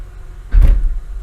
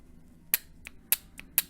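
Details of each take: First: 2003 Honda Accord V6 (J-series) with code P0747: single heavy low thud and shake as the selector goes from park into reverse, much harsher than neutral to drive. Linear shift solenoid suspected; reverse is lost once warm. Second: Honda/Acura automatic transmission linear solenoid (P0747, no reverse, D5 blinking), bench-tested on 12 V battery after removal: three crisp clicks, solenoid moving and working correctly before cleaning with brake cleaner.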